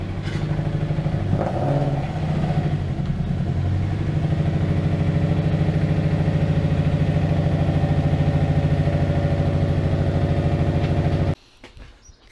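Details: Honda Civic EP3 Type R: a low, lumpy idle with an uneven stumble, about three pulses a second, that never smooths out. One cylinder is misfiring; the throttle body looks like a cheap aftermarket part, and the TPS would not go below 1.5 V.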